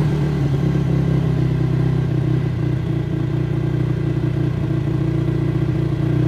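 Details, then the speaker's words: Kawasaki Brute Force 300 ATV after carburetor cleaning, which had been hard to start and would not idle: started on choke, steady even single-cylinder thump at a fast idle, no misses or stumbles; carb may need slight adjustment. "charm choke is off it's idling but I could probably adjust that carburetor a little bit"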